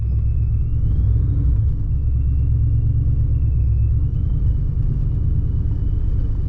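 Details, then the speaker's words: Procharger-supercharged Ford Mustang Mach 1 on the road, driving to work with windows down after two weeks parked: deep even rumble with faint high supercharger-like whine, smooth steady pull, no misses; sounds great, running well. "beautiful day in texas they're gonna roll down the windows the car sounds freaking amazing"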